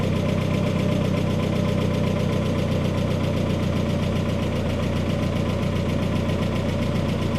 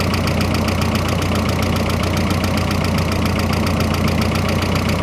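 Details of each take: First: Freshly rebuilt turbo engine at first start-up, new paint and turbo oil burning off: dense, even idle with a steady low rumble and no rattle, settling in; normal idle. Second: Freshly rebuilt turbocharged engine on first start, idling with the hood closed: a loud, clattery idle with a fast steady pulse over a deep drone and some lifter tick; too noisy for a rebuild, cause unknown, owner hopes it just needs to break in.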